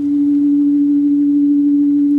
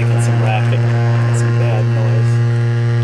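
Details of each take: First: 1964 Leslie speaker from a Conn organ, driven by a modified Squier Champ amp fed by an audio frequency generator: a pure, steady tone around 300 Hz plays clean with no buzz or rattle, with no distortion at this frequency. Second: 1964 Leslie speaker from a Conn organ; low test tone near 125 Hz sounds harsh and buzzy, then a clean sliding tone; popping when moving the cone, voice coil rub or debris from mice suspected.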